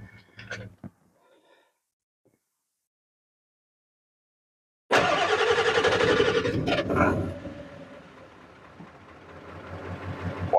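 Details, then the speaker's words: 1996 Ford 7.3 Powerstroke diesel truck starting right after new batteries were fitted: brief crank, quick catch, steady idle, a big difference in how it starts; normal cold start. "wow I me a big difference how that thing started holy crap"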